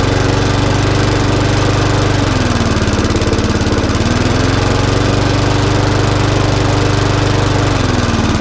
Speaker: That's why it's um struggling to cut grass is because he's not running it with the engine brake in uh the mark switch isn't working. So, as soon as you pull the red lever in um the revs go up.